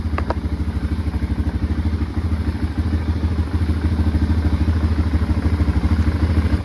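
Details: 2005 Can-Am DS650 quad, bought for $1000: deep, steady single-cylinder thumping holding an even beat as revs build gently, no clatter or misfire; runs healthy, though less powerful than expected with its restricted muffler.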